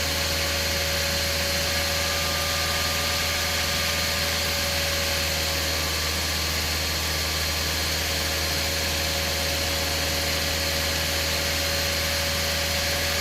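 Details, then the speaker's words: Toyota Vios 2007 at idle with AC on after compressor replacement and system flush; ambient about 30°C, fan speed 2 working normally, vent about 5.1-5.2°C at idle. Steady idle under constant blower rush and faint compressor hum, no rattle or squeal. "ฮะโอเคครับถ้าStreet2สั่งงานระบบทำงานปกตินะครับ"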